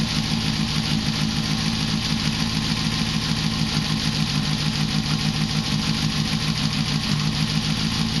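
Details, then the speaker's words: 1973 Honda CB500K2 cafe racer after rebuild with new seals and gaskets, 4-into-1 exhaust, first start after float bowls redone and float raised: even, steady four-cylinder idle with consistent exhaust pulse, no misses or knocks; running healthy. "there we go Wow sounds great"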